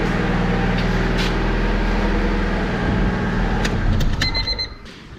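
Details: Older Honda from Alabama, apparently original owner with 1999-dated spark plug wires, needing a tune-up; check engine light with code P0135 (O2 sensor). Low, steady, smooth hum at idle with no ticks or knocks: quiet, healthy idle.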